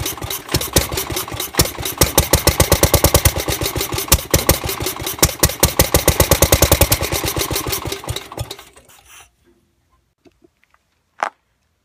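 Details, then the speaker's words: Gravely 430 tractor Onan NB engine after crank-trigger ignition build, long-sitting with varnished fuel, run briefly on starting fluid/carb cleaner in the head: loud, quick, ragged pops then dies; timing possibly slightly off or due to starting fluid. "the timing sounds like it might be off just a hair but I don't know if that's because I was using starting fluid which is very like aggressive when it burns or if my timing really is off"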